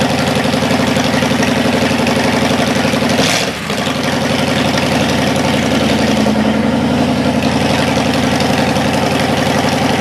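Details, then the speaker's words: Cadillac 390 V8 after sitting 8 years, cold, untuned: even idle with a brief blip partway, then settling at a slightly high steady speed, running clean. Water pump leaking. Slightly high cold idle. "well that worked pretty good I mean it idled a little bit high but it was still cold and I haven't really tinkered with it"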